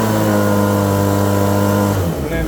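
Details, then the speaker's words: PB-250 leaf blower after carburetor, air filter and spark plug replacement and idle and high-speed screw adjustment: strong steady high drone at near-full throttle, then a smooth drop back to idle with no stumble; it idles and runs fine. "And I just have it the throttle holder is off and it's idling fine by itself where I can go full throttle"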